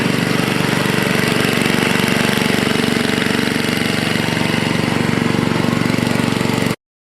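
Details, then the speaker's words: Toro 524 snowblower, Tecumseh H50 single-cylinder, after fixing a no-stay-running fault caused by a clogged gas cap: steady even putter at constant speed, no surging or dying; running cleanly. "And I think we resolved the problem. I can't believe that's what it was. Clogged gas cap."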